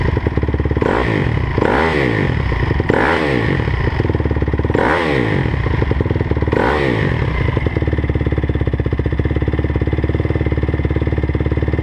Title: 2009 crf 250r weird noise